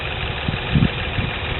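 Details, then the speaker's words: Turbo Kia Stinger GTS listed with a bad engine, with misfire codes, excessive vibration and a drivetrain issue: idle stumbles with uneven low thumps breaking the rhythm, engine misfire. "And then they have another video showing all of the misfire codes."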